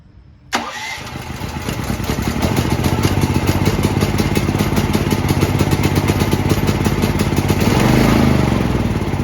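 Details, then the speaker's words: New Firman T07573 tri-fuel portable generator on gasoline, after the tank was topped up so fuel reached the lines; a short crank, then a steady, even run with no misses or knocks. "step back here because that's awfully loud it's purring like a kitten maybe that was because it's like brand new out of the box and I had to get fuel in the lines"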